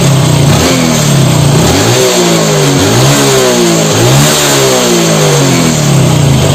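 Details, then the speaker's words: Honda Revo Fit fuel-injected engine after replacing the camshaft bearings (6904 and 6001), the throttle-body idle air adjuster and rubber: clean, even revs rising and falling smoothly, idle no longer stalls; normal revving after repair. "Setelah semua alat-alat yang dibutuhkan ini kita pasang dan untuk hasilnya kurang lebih seperti ini teman teman jika Hai suara mesinnya halus"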